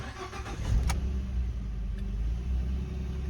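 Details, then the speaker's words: 2013 Ford F-150 with no start, no fuel and code P0627, after replacing the fuel pump control module: cranks briefly, catches and settles into a steady, even low rumble, staying running; fixed. "yes sir he stays running and I called it a success customers cars fixed"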